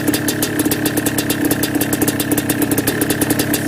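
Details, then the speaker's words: Yamaha Blaster 200cc two-stroke ATV with FMF pipe, cold start around 15-20 degrees after two kicks, on choke: sharp fast puffing tick about eight per second; exhaust header leak, easing as it warms. "I got a little bit of an exhaust header leak, but that usually helps when it warms up. It's a little better."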